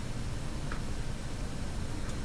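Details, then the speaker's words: BSR A12 turntable in a Canadian Spartan 5542 radio, playing near the record's end: low rumble with a faint tick about every 1.3 seconds, once per turn; owner believes the velocity sensor is being kicked back. "you hear the ticking ticks every time around I believe that's the velocity sensor being kicked back"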